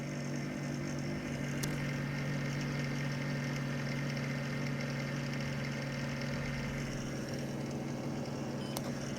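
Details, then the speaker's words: Packard Bell Legend Supreme 1820 PC (Pentium 200 MMX) at power-on: steady hum with a rough, gritty whirr from a dry fan bearing, either CPU or power supply fan, plus faint hard drive activity. "first thing you'll hear is the grinding from the dry fan not sure which van it is it's either the cpu or the power supply fan the only two fans on it"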